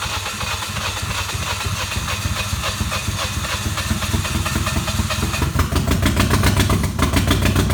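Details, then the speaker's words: Field-found Toyota Echo Roxy edition, many sensors already changed, fuel pressure gauge rigged up: rhythmic chugging about three and a half beats a second with hiss, never catching; cranks but won't start, low fuel pressure suspected. "all right so as you can see we got the fuel pressure rigged up to it now not running yet but uh we pretty much determined after changing many sensors and many other things that might have low fuel pressure"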